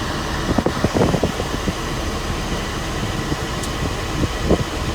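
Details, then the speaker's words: 1992 Mercedes W124 300E with hot air at all vents, A/C and blower quitting, flashing recirculation light: steady even rush of air from dash fan with a few light clicks, no rattle or howl; cold air, A/C working. "let's give it a shot a nice cold air in the van yeah see so the ac is working now"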